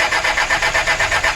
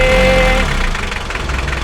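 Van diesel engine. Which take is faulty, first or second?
first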